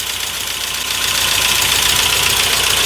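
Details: 1992 Saab 900 Turbo, first start after sitting for years, no oil pressure gauge: engine idles with a quick fairly even clatter of about four ticks a second; source not yet clear.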